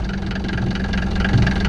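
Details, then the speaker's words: Mercedes diesel with straight-piped exhaust, burning a lot of oil and smoking; loud open diesel clatter with a lumpy, uneven beat at idle; rough idle. "idols really rough"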